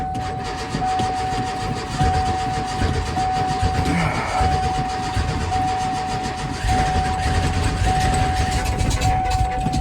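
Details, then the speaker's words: Ford F-150 that falls on its face when moving, cold and nearly out of gas: starter grinds on steadily for several seconds with a whirring whine before the engine catches and chugs; slow cold start, cause unknown. "Come on, [ __ ] She cold. There it goes. Yeah, she's a bit chugging. She's about out of gas."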